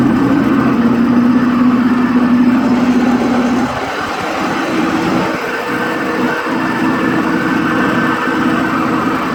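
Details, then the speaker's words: Bobcat riding mower, blades engaged: a rough rattling racket and vibration over the engine drone from a worn mower deck spindle bearing; the spindle is replaced. "It's got an awful racket coming from one of the spindles."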